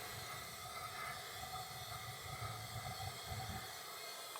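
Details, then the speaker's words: Gas water heater: the pilot lights easily but the main burner flame sputters with an uneven hiss and fluttering puffs, dying as if starved for air or fuel; gas valve suspected, not confirmed. "then when i turn it on it seems like it's dying all right so the pilot's lit see if we can see the right so the pilots let me see if i can turn it on seems like it's dying for air"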